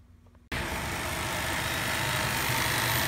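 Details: 2006 Jeep Grand Cherokee 3.7 V6 after replacing broken PCV hose that caused vacuum leak, high idle and P0507: low, steady, even idle near 600 rpm, no hunting or surging — normal idle.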